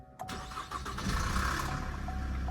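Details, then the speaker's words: Opel Insignia, hood open, dealer-serviced: the engine cranks and catches with a brief chain rattle in the first second, then settles to idle; a known timing chain noise issue. "var ya görüyorsunuz ilk başta Bir tık diye bir zincir sesi geliyor"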